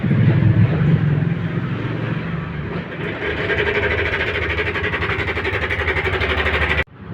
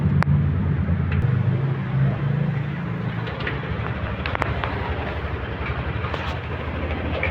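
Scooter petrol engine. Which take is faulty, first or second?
first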